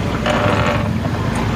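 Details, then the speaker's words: Single-tub top-loading washing machine (LG) that spun only to the right, after adjusting the brake lever with an 8 mm key, light load: loud churning water with steady motor drone, no knocking; now agitates left and right normally. "bisa dilihat temen-temen itu dia Muter ke kanan dan ke kiri ya"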